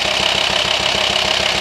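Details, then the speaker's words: VW T5 Transporter 2.5 TDI diesel at idle: light regular knocking pulse, vibration felt at the hose to the air box; diagnosed worn camshaft and tappets worn through, fix is new camshaft and lifters. "if you have a knocking pulsing engine sounds coming out of your Volkswagen T5 2.5 TDI you hear it Knocking the way you feel it"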